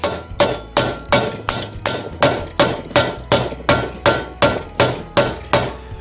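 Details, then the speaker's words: Vespa GT200 variator-cover bearing being hammered into its bore: steady ringing blows whose tone never changes, meaning the bearing is not yet fully bottomed; the tone changes once it seats. "Yleensä tuossa kuulee, kun toi ääni muuttuu, niin se on silloin siellä pohjassa, mutta nyt en kyllä kuulu mitään muutosta, eli voidaanko tulkita, että se ei siellä vielä ihan ole."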